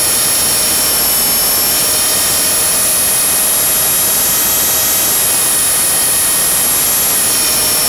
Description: Blade 300 X that does some weird twitches when in Idle UP.